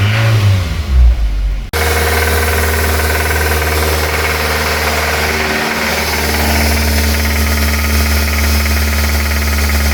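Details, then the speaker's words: 2008 Suzuki SX4 2.0L J20A 16v petrol four-cylinder after start-up: a steady, busy rattling knock low in the block from a worn connecting rod bearing, worse when revved. "so this car had a bad rattle noise uh the bottom in it's a baring noise when we start it"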